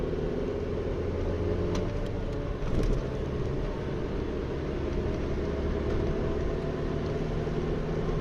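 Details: Studded winter tyres on a foreign car give a steady low road drone at highway cruising speed, unchanged with engine revs; the owner blames the tyres and finds them uncomfortable, though the cause is not confirmed.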